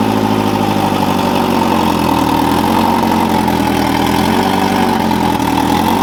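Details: Fully built turbo Integra at first start after engine install, fuel system primed, no leaks: smooth, even idle with steady mid-pitched hum, no knocks or misses; running cleanly.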